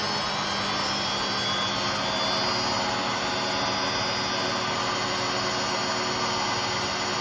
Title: Hotpoint Aquarius WMA58 washing machine || 2 in 1… bad motor bearings and drum bearings special!